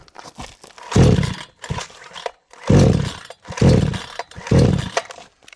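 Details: Vevor chainsaw: four or five pull-cord rips at full, half and no choke, each a dry churning whirr with no firing; cranks but won't start.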